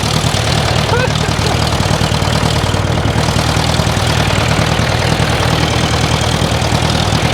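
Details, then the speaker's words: 1968 John Deere 500A diesel loader tractor (industrial 3020), parked over 10 years, just started with ether: loud clattering, uneven lumpy beat not settling to smooth idle; rough running, fuel in tank, diesel seen running down side of block. "kind of doing some funny stuff but I'd take a peek in the fuel tank up here"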